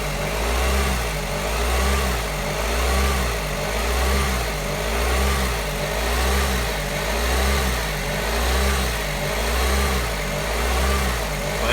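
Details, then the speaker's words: Suzuki SX4 with the electronic throttle drive fuse pulled, so there is no motor drive: revs rise and fall about every two seconds. The engine hunts in limp-home mode with the throttle at its spring default. "have no drive and the relative throttle position actually opens a wee bit there you can see it again here in the car obviously hunting not ideal but better than dead in the water I guess"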